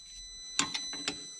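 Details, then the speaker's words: International MaxxForce intake throttle valve, key on engine off, code SPN 3464 FMI 0 (1288): thin steady high hum with sharp clicks as the actuator strains against a stuck valve, barely moving; replacement likely needed. "So you hear that humming. That's that trying to move."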